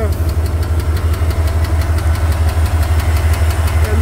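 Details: Engine idling with regular deep knock about three per second; ticking began after hard acceleration and worsened; owner suspects a loose rod or stuck lifter, possibly near clutch area, unconfirmed.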